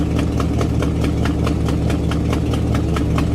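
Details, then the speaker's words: Old Buick with ongoing misfire, after new ignition coil, cap, rotor and wires, idle speed adjusted up slightly, carburetor possibly worn: steady even low rumble with light regular ticking, no stumbles; runs fine now. "see it runs fine now I'm certain that it'll restart no problem"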